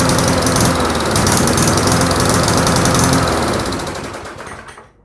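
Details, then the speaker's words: Briggs & Stratton Classic push mower engine with the carburetor on the gas tank, with new gasket, diaphragm and governor springs, still hunting up and down erratically before dying; surging from an air gap at the warped carburetor mounting. "and your engine's going to surge erratically because it can't stabilize itself."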